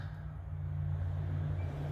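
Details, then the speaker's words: 1970 GMC grain truck, 40,000 original miles, rusty fuel system cleaned and carburetor rebuilt: low, even, steady rumble with no misses or stumbles; engine purring, normal running. "I couldn't believe the difference it makes. I'll show you in just a second here. Just sounds wonderful. just purr that engine."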